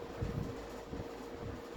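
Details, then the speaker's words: Vintage 20-inch deluxe Sears box fan with plastic Marco motor and two-piece motor strut, on low speed, slightly faster than usual: soft steady hum, faint even tone, gentle airflow, no knocks or rattles; normal running. "Have a nice calm low speed. I feel like this is a little bit faster than these normally are, but this is still very nice."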